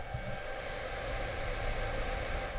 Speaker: So yeah, on the beginning it makes a lot of noise, but as soon as it starts, like it finishes doing the restart, because this is what it does on the beginning, you will see that it gets super quiet.